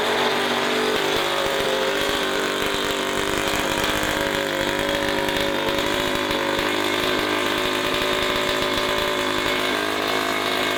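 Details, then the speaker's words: Honda Vision moped fitted with a race-tuned 125cc two-stroke engine, battery slightly flat, fuel fed by sucking the vacuum tap line: loud, raspy, steady revving that keeps firing after ignition is switched off; owner suspects faulty ignition. "I turned the ignition off, but it just it carried on firing. So, I think I've got a dodgy ignition"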